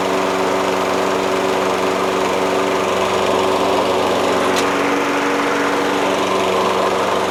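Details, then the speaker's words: Toro Recycler self-propelled mower with a Kohler XT675 6.75 single-cylinder engine, running with its factory metallic flywheel-brake ignition-kill pad refitted. Even, steady drone at constant speed with no misses or surging; it runs normally. "so it seems like it runs just fine and it starts just fine"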